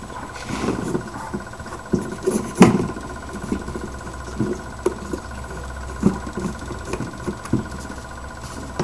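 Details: Onan generator with spark but suspected fuel problem, engine off, pump energized by jumping pin 9 to pin 5: faint steady electric buzz with irregular ticks, no fuel smell at carburetor; pump confirmed bad; fuel pump running without delivering fuel.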